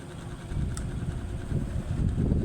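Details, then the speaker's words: Electric fan that smoked and smelled burnt, tested on speed 1: low, even whirring rumble spinning up fast and strong, no knocking or scraping; bushings and shaft still okay, normal running. "So malakas yung ikot niya, number 1. So okay pa yung bushing shafting niya, no. Ayan, so mabilis din yung kanyang ikot, no."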